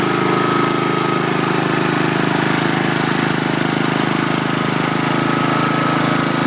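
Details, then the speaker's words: 2011 Troy-Bilt 21" push mower, Honda GCV160 engine, after carburetor cleaning, stale gas drained and new brake control cable: steady, even putt, no surging or misfire, nice quiet smooth muffler; running healthy. "It's got a nice smooth sounding muffler, nice and quiet."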